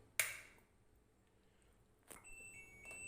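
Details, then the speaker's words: Samsung 6 kg Diamond Drum top-load washer with clothes loaded: a click, then a few short high beeps, with no motor or drum movement. Error beeps (dE error); the washer won't run, cause not yet identified. "Machine on பண்ணால் machine run ஆகலை, beep sound கேட்குது அப்படின்னு சொன்னாங்க."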